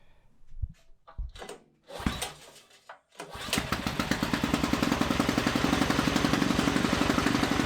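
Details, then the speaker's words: Tillotson 236R two-stroke spec engine build on the dyno, first start: a few pull-start tugs, then it catches easily and settles into a quick, even two-stroke burble; normal start and idle. "Well, that's a bit of a milestone that is. So, yeah, it seems to fire up pretty easily."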